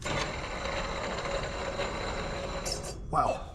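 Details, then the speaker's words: Worn idler pulley on a Yard Machines/MTD 638RL 38-inch riding mower, 13.5 hp Tecumseh, about 20 years old, belt tension removed; steady rough grinding rasp as the pulley is spun by hand, dry worn bearings, pulley barely spins. "you can hear the bearings I bet this thing sound like a rock Crusher when he was using"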